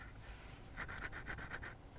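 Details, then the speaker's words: Apple HomePod subwoofer, smelling burnt: pushing the cone gives a dry scraping rasp in short strokes where it should be silent; the roasted voice coil is rubbing and the subwoofer needs replacing. "that my friends is an absolutely roasted subwoofer you should not hear anything when I do that"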